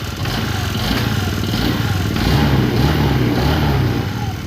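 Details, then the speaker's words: Scooter engine that ran dry of oil and stalled twice, restarted after refilling: rough low uneven idle with a loud clattery rattle, noisy engine damage from oil starvation (scored piston); regular oil changes needed. "Ayan napakaingay so ayan sama-sama na problema na yan Okay so mga ksk maging aral sa inyo to kailangan mag-change oil kayo"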